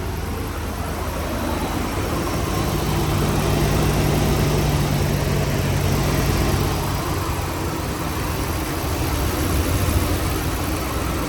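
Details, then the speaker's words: 2013 RAM 1500 5.7 HEMI V8 after cam and lifter rebuild, idling smooth steady low rumble with no ticking after replacing damaged pushrods and rocker arms from improper installation; fixed, running good. "Alright guys, it sounds good now. Here it is, guys. It's all cleaned up, and as you can see, it's running good."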